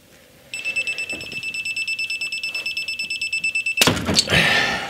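Rapid high-pitched beeps, about three a second, steady and even, then a thunk: the angle wrench is warning that the head bolt is giving.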